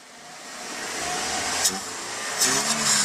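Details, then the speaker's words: Car engine after DIY cylinder head decarbonizing, throttle body, spark plug and combustion chamber cleaning: revs climb smoothly from low to a high, even roar with no knocks or rough pulses; no vibration, normal healthy rev. "Weh, luar biasa. Lihat kondisi engine-nya tidak ada getaran sama sekali. Halus."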